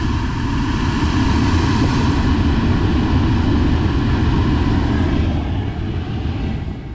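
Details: Crash-repaired Mercedes-Benz C200 with the air-con unit refitted and switched on: a steady, even rush of air with a low hum and no rattling or ticking; the blower runs smoothly.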